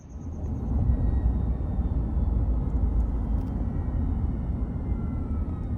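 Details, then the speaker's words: 2021 Ram 1500 Hemi eTorque truck under warranty. A deep, steady engine rumble with a thin, faint whine above it. The owner first feared the eTorque bearings, but the whine came from a failed belt tensioner pulley bearing. "I got that whining sound and I thought, "Oh, man. Here we go. My etor torque is going out. The bearings are going out and it's starting to whine.""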